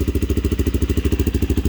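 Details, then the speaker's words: 1987 Honda XL250R RFVC single, barn find that sat for years, on fresh gas, cold after first-kick start, Supertrapp exhaust: crisp thump about ten even pulses a second; unusually quiet for an RFVC, normal cold idle. "wow the engine's nice and quiet normally they're a little bit noisy the rfvc has"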